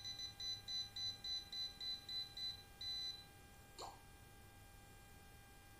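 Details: Well pump (sumur bor) that will not run. A cable-break detector traced along the deliberately cut live (phase) wire beeps sharply about three times per second, then suddenly goes silent where the break is. Live wire detected, cable break located.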